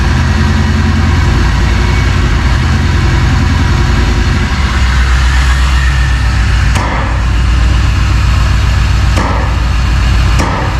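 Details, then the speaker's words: 1999 Vortec 454 7.4 V8 freshly swapped into a 1985 Chevrolet C10, first start with oil and antifreeze filled: deep, steady V8 rumble at an even idle with no knocks or misses. "so let's start it up uh okay and we'll let it run a little bit it has oil it has antifreeze so we're good on that here we go"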